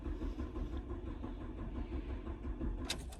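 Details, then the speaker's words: Dodge Stratus, crank-no-start: a steady starter cranking rumble for several seconds without firing; the scan tool shows the crankshaft position sensor not reading, code P0320, with good power and ground at the connector. "so we have a dodge stratus right now and customer stay is crank but it's not keep it running so we are here to check the crankset sensor if they are reading or not"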